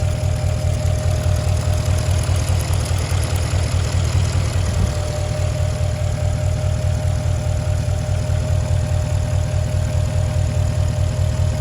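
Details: 2008 Porsche Cayenne Turbo (957) V8 at idle: deep steady rumble with a faint regular tick, and the engine shakes a lot; owner asks whether this is normal, cause unknown.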